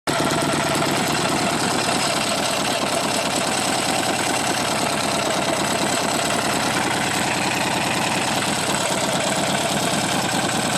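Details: Buell XB12R V-twin at idle: fast light metallic ticking over the loping exhaust beat, source unclear; engine ticking at idle.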